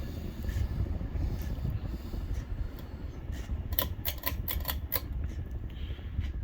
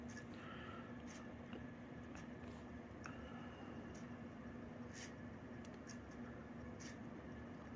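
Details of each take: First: 1991 52-inch Davenport ceiling fan by Hallsey, stamped steel 153x15 motor, on high speed around 190-200 rpm: low motor hum with scattered dry ticks and rattles from the hub; bearings dry, needing grease. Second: pretty smooth running on high speed doing somewhere around 190 200 rpm moves a decent sum of air you can hear them bearings this around a little bit they are definitely it needed some more grease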